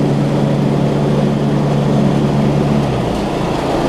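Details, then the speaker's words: Newer Snapper RER mower, single-cylinder engine, after draining some fuel from the carb bowl and trying another spark plug: steady, even thump at speed with no stumbling or surging; running clean now. "let's see what it does now see it's not stumbling like it"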